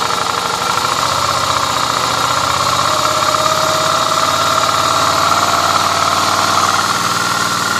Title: Strange noise vstrom